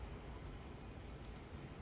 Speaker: 我们听一下，是有一点异响，这种异响不是那什么异响，这是刺头的寻道的声音啊，可能虚惊一